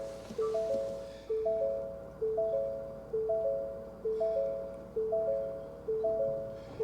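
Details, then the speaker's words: 2022 Ford Maverick Hybrid, 43,600 miles, in a quiet cab: three-note chime repeating about once a second, the cross traffic system fault warning. "okay cross traffic system fault can you hear it see"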